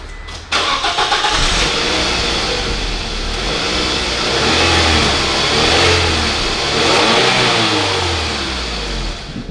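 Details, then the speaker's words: Scion tC with stock muffler, before muffler delete, after front wheel bearing repair, heard inside the cabin: engine starts and revs as a muffled hum under cabin hiss; normal, very quiet stock exhaust. "There's like no noise, no sound here. You just don't hear anything. This is the air actually moving, right?"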